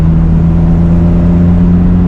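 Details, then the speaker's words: 1997 BMW M3 after crank sensor troubles, driving at proper operating temperature: deep, strong, even engine drone under hard throttle with no misses or stumbles; it sounds a lot happier. "You can hear it. It sounds a lot happier."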